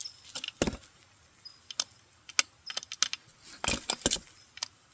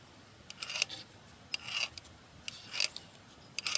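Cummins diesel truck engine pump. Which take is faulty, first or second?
first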